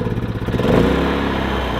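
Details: Predator 3500 inverter generator at 18 hours, before cleaning: engine speed surges and dips unevenly then steadies; owner suspects a clogged spark arrestor; engine stumble from clogged spark arrestor.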